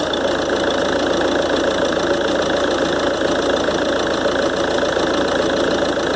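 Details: Ford Transit 2.2 (7G) 2013 diesel, cold start, idling about a minute after repair: compressor wheel, shaft bushings and seals replaced, actuator motor replaced; steady high turbo whistle over clatter persists, repair failed, owner suspects imbalance.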